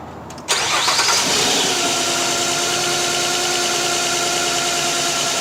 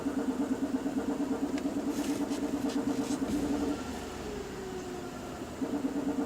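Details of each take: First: 2007 Nissan Quest 3.5 with P0300 random misfire traced to a bad ignition coil: quick crank, clean catch, then smooth even idle with steady whir, no stumble or miss. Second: 2007 Nissan Quest 3.5L V6 with P0300 random misfire, idling during scanner actuator test disabling injectors one at a time: uneven pulse sagging when cylinder one's injector is cut, showing that cylinder works; rough idle in cylinder balance test.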